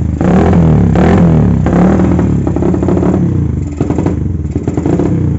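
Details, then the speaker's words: Carbureted motorcycle with vacuum fuel petcock, at idle; uneven stumbling idle with lumpy surges and hissing intake suction, runs rich wasting fuel with fuel smoke from exhaust; ignition and electrics fine, carb cleaning didn't help, smooth when throttle opened. "Nah jadi kendalanya seperti itu bisa kita dengar dari suara karburatornya nyedot udara kayak gitu ya ini boros banget ya teman-teman jadi ke busi itu cepat mati juga ya"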